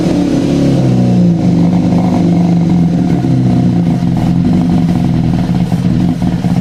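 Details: Yamaha FZ6 no-start: fires on starter fluid, runs rough and uneven, barely holding idle under light throttle before fading and dying; dies immediately if throttle applied.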